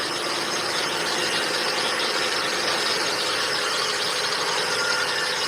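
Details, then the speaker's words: 1999 Volkswagen Bora, owner reports a lot of noise: constant high-pitched, hissy squeal over the running engine with no rhythm; source not pinned down. "Right, got a 99 Volkswagen Bora here. Client says it's making a lot of noise."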